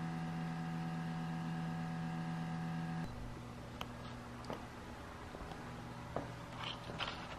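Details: 2019 Subaru Crosstrek parked with engine off: faint steady electric buzz, no other rhythm; normal fuel/emissions (EVAP) system self-test.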